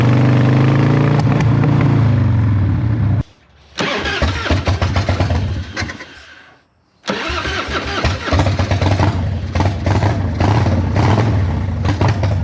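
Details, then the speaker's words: Harley-Davidson Evo 1340 Heritage Softail, started after two weeks sitting following a faultless 800 km ride: big twin fires, stumbles and cuts out, restarts with an uneven, missing beat. "As you can see, for some reason, it doesn't sound good."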